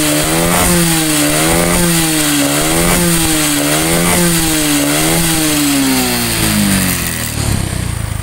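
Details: Honda Supra X 125 single-cylinder with carburetor (Karisma unit also mentioned), brought in for an "ngok" snoring noise when throttled, tested in a rice field: clean revs that climb and fall smoothly several times, no bogging or stumble; running healthy.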